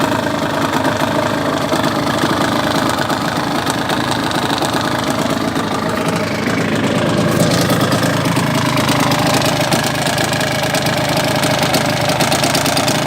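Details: Yamaha DT 125R two-stroke at idle with uneven rapid knocking about three per second; engine knock, owner suspects piston slap or bad crank bearing.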